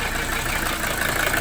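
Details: 1982 Mercedes 300SD diesel after fitting bench-tested injectors, still smoking with blow-by: coarse uneven idle clatter with hollow weak beat; owner attributes it to low compression.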